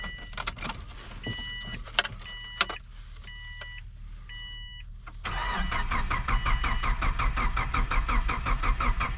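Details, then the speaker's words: Freshly installed 2003 Subaru Forester engine with new oil and filters, ignition unplugged, cranking in cold weather to build oil pressure: steady even cranking pulses about eighty per minute, no skips; normal compression. "all right it has compression sweet"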